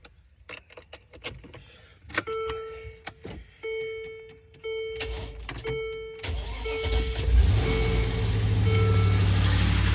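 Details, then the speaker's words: 2004 Land Rover Discovery 2 after replacing belt drive pulleys and tensioner (previously horrible flapping): clicks and chimes, cranks, catches and settles into smooth steady idle with no flapping or squeal; normal idle. "Oh, that sounds loads. curing like a kitten."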